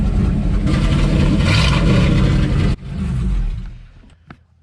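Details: Square body Chevy Suburban old V8 on a known-working carburetor after plugging vacuum ports: lumpy, uneven low rumble at idle before dying off; rough idle, owner suspects carburetor idle circuit.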